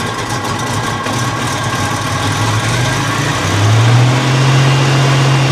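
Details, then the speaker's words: Buick Grand National engine running cold: idle hunts and sags, beat uneven and pitch wavering, rattling and breaking up as it fights not to die; runs poorly only when cold and fine once warm; rough cold idle. "it only seems to really run like crap when it's cold once it warms up it really starts running fine"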